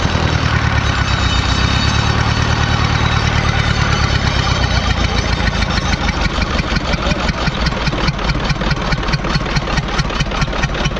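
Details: Kia 35 diesel engine runs loud and rough, then settles into an uneven knocking beat of about two per second; abnormal internal noise, mechanic couldn't find the cause.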